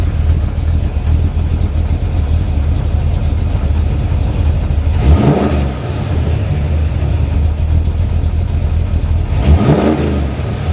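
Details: Freshly built SBC 350 (aluminum 64cc heads, .500/.510 lift, 10:1 pistons, Edelbrock intake, 600cfm carb, likely out of tune), idling: dull rhythmic knock still there through two quick revs; persists with each plug wire pulled, owner suspects piston slap or flexplate.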